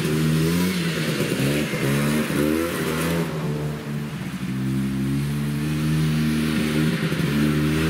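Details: Yamaha Bravo 250 snowmobile, after cleaning Keihin carburetor that had bogged on throttle once warm: repeated rev sweeps rising and falling cleanly without bogging or stumbling; normal acceleration.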